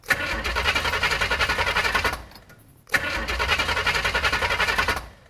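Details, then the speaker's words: 408 small-block Chevy on first start, run briefly dry with no lower radiator hose: choppy, loping idle with an uneven chop-chop beat, about three or four lumps a second, from a big performance cam; big fuel leak noted. "That sounds like it's got a bit of a cam. She honking. It's got the chop chop."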